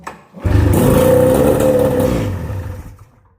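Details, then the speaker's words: Snowmobile with a freshly rebuilt, newer two-stroke engine on its old exhaust, first start of the season; a crisp buzz rises and falls cleanly with no misfire or rattle, so it runs well. "Actually [music] sounds like it runs pretty good. This light does have a cool sound going from the newer motor and the old exhaust."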